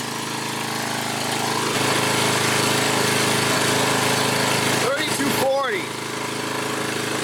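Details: 7-year-old Craftsman 28-inch walk-behind mower, after cable repair, warming up: small single-cylinder engine holds a steady, even beat at governed speed, no misses or knocks; 3240 RPM measured, sounds healthy.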